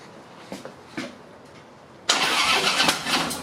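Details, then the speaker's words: 2012 Harley-Davidson Road King touring bike, first start after clutch plate change, engine cold: a few light clicks, then it catches with a sharp little pop and settles into a rough idle; normal cold start. "whoa little pop it's kind of cold"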